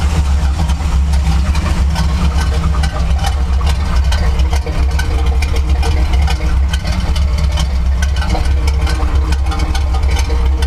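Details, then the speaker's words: Chevy C10 truck, V8 with a cam, possibly worn rings: deep, lumpy, irregular idle; owner suspects an ignition misfire from plug wires, coil or distributor, not confirmed: rough idle. "it doesn't really help that the uh engine misfiring so it's got an ignition I think plug wires coil uh distributor somewhere in there but you can totally hear it's not running it's not running smoothly"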